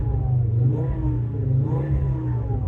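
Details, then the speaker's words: Fiat Coupe 20V Turbo at start-up with full oil pressure: smooth idle climbing cleanly in pitch with each throttle blip, no tapping or knocking, boost gauge working; normal idle and rev. "boost gauge works engine actually sounds pretty sweet to be honest can't hear no tapping no knocking seems pretty good"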